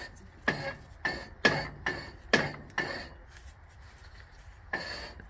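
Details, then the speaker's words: Toro Wheel Horse 265 garden tractor with corroded coil and no kill wire: irregular sharp clunks about once a second with a ringing metallic edge, then quieter; just the electric PTO clutch making the noise. "oh good okay it's just the electric clutch making that noise"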